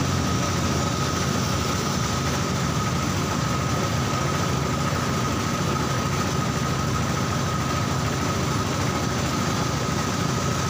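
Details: Old carburetted Honda Supra Fit, which had been dying suddenly while riding, idling after carburettor cleaning: an even, steady idle with a smooth low rumble, no misses or knocks; running cleanly.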